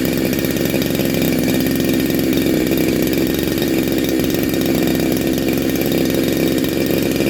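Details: Neo-tec NH872 chainsaw (372XP clone), big bore kit, cold start on second heat cycle: loud, even two-stroke buzz holding steady speed with no misses or stumbles; normal running.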